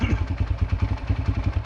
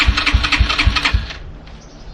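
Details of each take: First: Yamaha TT-R125 dirt bike pulled from a barn after about 10 years sitting, revived and warmed up: steady, evenly spaced single-cylinder putter with no misses or knocks; it idles smoothly while smoking heavily. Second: Yamaha TT-R125 dirt bike, sat in a barn about 10 years, electric start: bursts of quick uneven cranking about two per second with pauses, never catches; gas found leaking out, tank likely empty.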